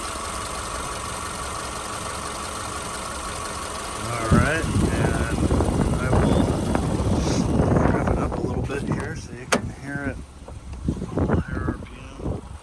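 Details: 2010 Subaru Forester AWD, 83,000 miles, one owner, microphone hovering over the engine bay: smooth idle, then the engine climbs and falls cleanly through several blips with no knocks, misses or rattles; healthy running engine.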